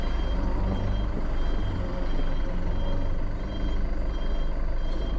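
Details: Mitsubishi Fuso truck backing up: steady repeating high-pitched beep over a low diesel rumble; reversing alarm working normally.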